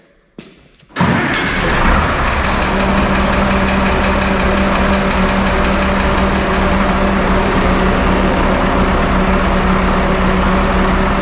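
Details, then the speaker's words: 1974 Allis Chalmers 7080 diesel tractor after hydraulic leak repairs and bleeding air from the injectors. It catches right away and settles into a steady, even idle with a smooth low drum, running clean and healthy. "So Damon, give it a go. Excellent."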